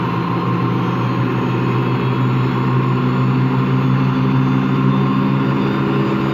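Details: Washing machine running empty on rinse and spin; constant deep rough growl during spin, failing to reach full speed at the end; owner suspects worn motor or drum bearings, though drum not loose.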